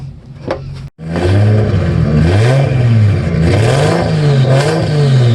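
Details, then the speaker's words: Toyota MX83 Cressida 1G-GTE turbo drift car, 3-inch stainless pipe turbo-back to before diff, no muffler, start-up and revs: booming raspy roar rising with throttle blips; too loud, needs muffler. "yes it's a drift car yes it's meant to be loud but it's a bit too loud it definitely needs to have that muffler to turn it down a tad"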